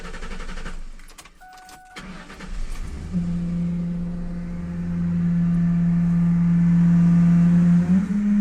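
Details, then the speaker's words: Ford Mustang 4.6 (2000 or 2001) just after start-up: a loud, steady horn-like hum rises over the idle at the air filter duct and changes when the part is tapped. "este carro trae una falla que hace un ruido muy extraño ahí por el ducto del filtro del aire es decir como que un ruido si un zumbido así medio raro"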